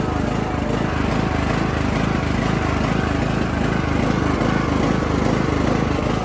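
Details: Bolens riding mower, diesel put in the fuel, on full choke: rough, noisy running with coarse regular puffing at raised throttle; exhaust leak suspected, not confirmed.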